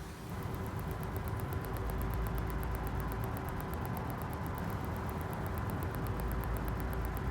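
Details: BMW X5 E53 parking sensors after cleaning an oxidised contact on the rear right sensor connector, ignition on, reverse engaged, listening at the sensor over an idling engine: fast even ticking, about five clicks a second; parking sensor clicking normally.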